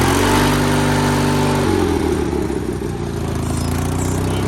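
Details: Sears GT 19.9 big-block garden tractor, first start after sitting about two years, choke not cooperating: uneven, lumpy running that shifts pitch abruptly when throttle is added and never settles; running rough, a little smoky.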